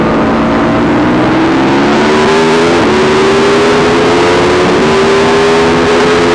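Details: YZ450 single-cylinder engine in a supermono race bike, revving hard at speed: note stumbles and wavers unevenly; constant misfire, worse after a couple of laps, cause unknown despite changing carb settings, fuel tank, fuel filter, breather pipes, ignition, coil, generator.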